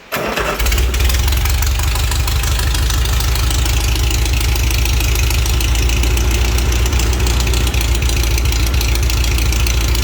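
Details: Pre-war Riley Brooklands engine with carbs flooded, no coolant and straight pipes without a muffler: it catches within a second and settles into a loud, steady, deep idle with an even beat and no knocks. Start and idle are normal.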